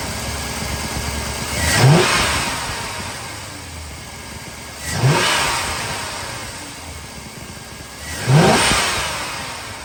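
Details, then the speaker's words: 1999–2006 Chevrolet Silverado just after an Airaid cold air intake install, with the mass airflow sensor pushed back to seat fully. Three crisp throttle blips rise and fall smoothly back to a steady idle, no misses or rattles; normal revving. "Yeah, that sounds pretty good."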